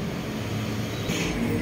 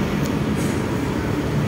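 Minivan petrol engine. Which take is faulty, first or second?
second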